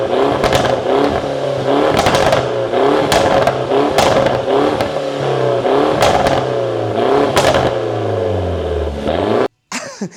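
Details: Mini Cooper S, first start back on ground: repeated sharp rev blips with loud cracks and pops between; loud exhaust backfires, otherwise running fine.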